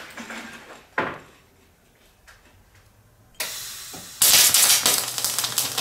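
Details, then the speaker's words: MIG spray transfer attempt on 75/25 gas, voltage turned up to about 32 V with a longer arc: a quiet start, then a loud hissing arc with sharp crackles and pops of spatter from a wire feed to voltage mismatch. "Lane all right so if you could hear that that was a lot quieter uh than than we previously stopped lished there's a little bit more spatter involved"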